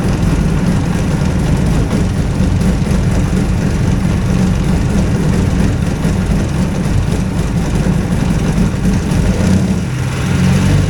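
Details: Two-cylinder hovercraft engine, newly settled with revised exhaust and carburetion; low, even rumble at steady speed with slight dip near end, no misses or knocks, healthy.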